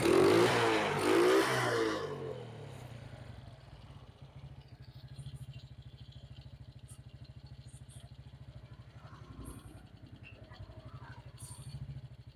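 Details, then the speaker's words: Suzuki Smash after the carburetor and idle adjustment, air filter not yet fitted: a quick sharp rev drops back to a soft, even idle putt with no hesitation; the carb misfire is cured and throttle response is crisp. "ini sudah enakan bagian langgamnya tarikan gas juga sudah responsif motor juga sudah enteng sekali tarikannya"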